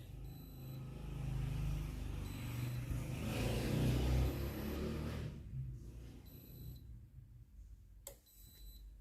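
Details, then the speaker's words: Philips GC7703 steam iron that powers on and heats normally but gives no steam: low pulsing water pump buzz with a beep every two seconds, no steam burst; pump running without output, pump replaced. "Vous entendrez le bruit de la pompe à eau qui fonctionne. Vérifiez que de la vapeur et de l'eau ne sortent pas par l'avant (la machine sort normalement)."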